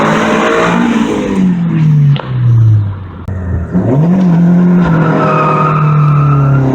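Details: Honda VTEC engine with stock cam gear and distributor fully advanced, road test after fixing a bolt that stopped VTEC engaging: hard pull with climbing revs, brief shift dip, strong pull again; VTEC now engaging, sounds like a B-series.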